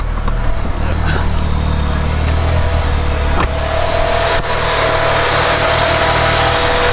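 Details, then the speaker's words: Car warmed up at idle after the Radium in-line fuel pulse damper install: steady low hum with a faint high tone, no ticking. Fuel-line oscillation gone; normal quiet idle. "yeah so now when the car is warmed up you can't even really hear any of the oscillation anymore before it'd be kind of loud so now it just quiet"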